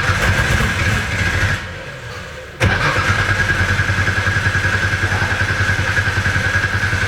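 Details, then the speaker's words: Nissan S13 with an RB26 engine being primed before its first start: an even, steady cranking beat at about three and a half per second that deepens in tone as fuel arrives; it turns over normally. "That sounds like it's getting some liquid. Yep, sounds better. Now it's getting a deeper tone to it."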